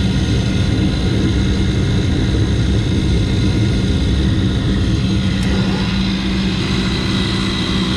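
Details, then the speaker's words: York rooftop unit burner assembly, furnace jumped on W1 and W2: the combustion blower gives a loud, coarse roaring drone over a steady hum, running rough and noisy like a worn inducer motor. "as I've already mentioned this combustion blower sounds like complete dog"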